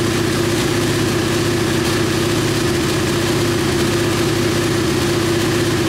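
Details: KTM Duke 125 single idling steadily at an even, quick firing beat with a constant mid-pitched hum, no misses or ticks, on the lift after starting. It came in hard-starting/not starting despite spark; the diagnostic scan found no faults. Healthy idle.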